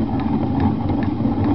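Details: 1986 Honda Spree scooter engine, turned over by hand, ran really loud with quiet exhaust: rough rumbling rattle pulsing about twice a second; owner suspects crankshaft bearings, not cylinder, unconfirmed.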